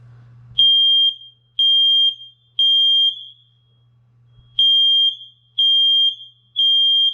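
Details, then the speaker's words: Interconnected house smoke alarm test button held after a battery change for low-battery chirping: loud shrill beeps about once a second in groups of three with pauses, all alarms sounding together, working properly. "so now all of them are talking to each other and that means that it's working like it should be"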